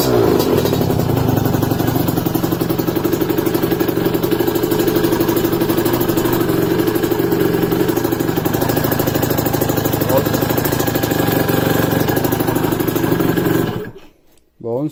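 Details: Two-stroke motorcycle after welding repair of a leaking exhaust pipe: steady run with an even burbling beat and no hissing or ticking leak; the exhaust sounds sealed and normal.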